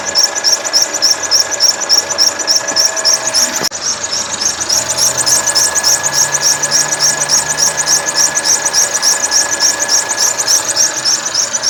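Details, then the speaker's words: 2013 Mercedes C180 W204 1.6 turbo, 91,000 km, also leaking coolant from the reservoir cap, idling with a fast, regular high chirp about 3.5 times a second from the worn original drive belt, not the turbo as the owner was told. "o barulho Qual que é o barulho que ela tinha apenas a correia tá"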